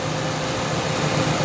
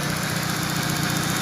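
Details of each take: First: Citroën, gas-converted, stumbles and loses power around 2,000 rpm on petrol but runs fine on gas: irregular dips and thumps about every quarter second, engine stumbling as fuel pump supply voltage sags to 11 then 10 volts instead of 12. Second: Citroën, gas-converted, after fixing the voltage problem that caused stumbling around 2,000 rpm on petrol: steady, even idle with a smooth low hum and no stumble or misses; healthy.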